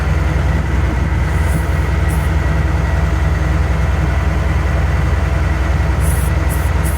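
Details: Ford L8000 crane truck, likely a Cat 3208 diesel, idling after first start in four or five years on jump pack: steady deep idle about 158 beats a minute, clean and smooth, no misses or knocks.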